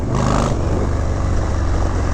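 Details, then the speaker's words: 1991 Harley-Davidson FXDB Sturgis, original CV carb with Screaming Eagle Stage 1 kit, freshly tuned: deep, even V-twin rumble while riding, no deceleration popping or backfiring through the carb as throttle eases off. "Again, no deceleration, popping or backfiring through the carb. The hallmark of a freshly tuned, perfect motor."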